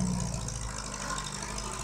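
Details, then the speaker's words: 1948 Farmall Cub with rebuilt engine, first run after rebuild: soft, steady low idle with an even beat, no knocks or misses; earlier knock thought to be from running too lean. "this sounds remarkably well running yeah I think it the knock might have been because it was too lean"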